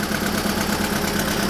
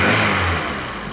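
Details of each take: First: Renault Twingo petrol engine at idle, rough lumpy idle with regular stumble and shake, running on three cylinders; cylinder 4 low compression after valve clearance adjustment and valve stem seal replacement; coolant circuit test rules out head gasket. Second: Renault Twingo four-cylinder, which had low compression on cylinder 4 and a rough three-cylinder idle, started after repair and reassembly: steady, even running settling to a calm idle without stumbles. The check engine light remains on.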